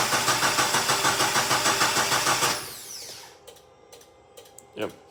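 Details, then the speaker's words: 2015 Mitsubishi Lancer GT, sat 8 months, no-crank with dead key fob, radio and interior lights, starter relay jumped, battery charged overnight but suspect: even cranking about 200 per minute for 2.5 seconds, never fires; cranks but no start. "so show you the issue it cranks that baby cranks"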